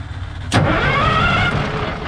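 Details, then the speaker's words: 1973 Freightliner cabover diesel truck, hooked to 24-volt batteries, cranked with fuel shut-off cable held by hand: sharp crank catches within a second into a steady gruff idle; diesel starts and keeps running. "ahead all right we can shut off that's good all right go ahead well it runs what do you say is successful will it start yeah"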